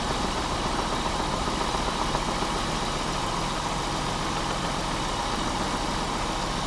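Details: Pontiac Bonneville 3.8 V6 after blowing up, coolant in oil and oil in coolant, warmed to temperature with normal oil pressure: steady idle with a loose tapping about three to four per second; suspected rod knock, not confirmed.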